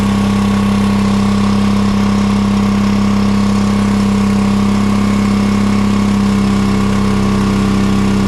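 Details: John Deere 425 riding mower with a Kawasaki V-twin that bogs down and loses power under load, fuel checked good: steady but lumpy, weak hum with one cylinder plainly dead each cycle. Running on one cylinder from a bad ignition coil.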